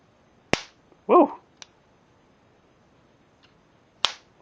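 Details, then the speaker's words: Harbor Freight insect zapper on two D batteries, compared with a weak-sparking unit: two sharp, loud snaps a few seconds apart in a quiet room, a clearly stronger spark. "yeah I could definitely hear uh the difference between these two as they spark here"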